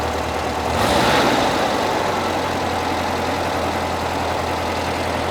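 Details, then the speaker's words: 1975 fuel-injected VW Beetle flat-four, after intake boot replacement fixing vacuum leaks: brief rev blip settling into smooth, steady idle around 1100 rpm, slightly higher than expected; engine running well. "Sounds happy there. But she's running good. She's running smooth."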